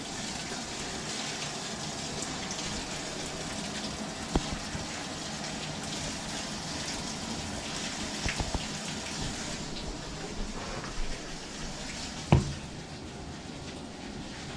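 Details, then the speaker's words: Frigidaire laundry centre washer that would not start, only locking its lid, now repaired; on normal cycle, warm, medium rinse, steady rushing water filling the drum with no hum, clicks or strain. "i think it's fixed so it's filling"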